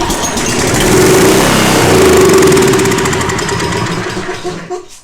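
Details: Generac 4000XL GN-220 generator that sat unused for a long time, run on choke with fuel fed straight into the intake: it catches, runs rough for a few seconds, then dies; carburetor starving it of fuel.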